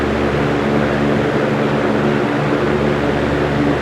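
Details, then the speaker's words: Antique GE Vortalex fan, 50+ years old, after oil wick replacement for its porous bronze bearings: a smooth, even airy whoosh with a soft low hum and no ticks or rubbing. A quiet, healthy fan running normally. "Listen to that sound though, that is such a clean sound. That is why I love these Vortalexes so much, because the blade set and the heavy cast metal parts help absorb excessive sound. The blade sets produce a very clean and very soothing whoosh."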